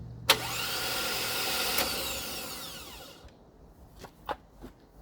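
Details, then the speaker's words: 1956 International R180 truck with junkyard 454 V8, first start attempt on a second battery: high starter whir fades and drops in pitch with no firm turnover; starter suspected not engaging fully. "sounds like the starters uh not quite up all the way"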